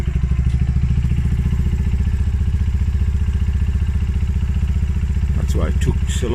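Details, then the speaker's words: Polaris Outlaw 50cc quad after carb clean and pilot jet clear-out (previously wouldn't fire and leaked from the carb overflow): the small single pops along at a quick, even, slightly rough beat with revs lifted on choke; normal fast idle. "start because I didn't have the choke on. I've just put the choke on there, that's why the revs have lifted."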